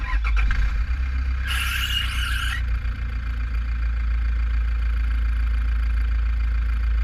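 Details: 2010 Toyota Prado 1KD diesel idling, GoPro in radiator with fan removed: sharp high squeal for about a second then drops away. Three pulleys and belt already replaced, balancer fine; owner suspects weak tensioner spring causing belt slip.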